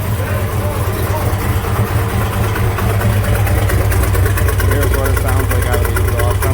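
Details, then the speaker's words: 1996 Jeep Grand Cherokee 5.2 V8, second cold start, fuel pressure near 49 psi but erratic: low idle with uneven stumbling beat about two lopes a second; IAC valve and crank sensor already replaced, cat removed; cause unclear. Misfire at cold idle. "still sounds like it has that misfire though still sounds like it has that misfire look at that that's a little erratic"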